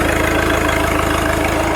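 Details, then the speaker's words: Cold-weather start of an old New Holland with a Wisconsin engine (not the original motor): firm, steady idle with an even rapid pulse, no misses or tapping; running clean and healthy. "Listen to that exhaust. Sounds awesome. Runs great."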